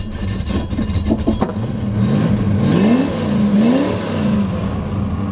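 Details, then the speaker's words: Ford AU XR8 Falcon V8 after sitting about 5 years, microphone at the exhaust: cranks, fires and revs with a raspy chuffing bark rising and falling with throttle, leaking everywhere; exhaust leak. "So, that sound was coming out the exhaust. I just didn't have anything to put the camera on, so that was just easier. But that's how it sounds. You can hear that it's been leaking everywhere."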